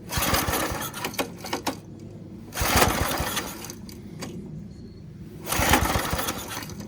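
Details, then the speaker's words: Abandoned 1987 Craftsman tiller, unstarted for 20+ years, on starting fluid with the air cleaner off: irregular bursts of cranking that never fire, because the ignition was switched off by a stuck lever; no start until it was freed. "It drank all that starting fluid while I was being an idiot and had the ignition turned off."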